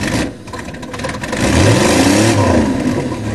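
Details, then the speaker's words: Hydrolocked Chevy Cavalier 3.1 running again after revival, oil not yet changed and the dipstick overfull, on a makeshift battery setup: engine rises and falls smoothly through the revs with no misses, knocks or rattles; runs cleanly. "3.1 Chevy. Oh, I can't. It runs perfect. You can't believe it."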